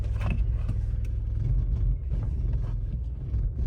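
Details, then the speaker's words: Opel Zafira A running on petrol after control unit was programmed: lumpy, uneven idle with repeated sags, engine shaking and missing; tachometer now works but misfire remains, only runs acceptably on LPG. "троїння залишилося але вже працює тахометр машина Все одно троїть"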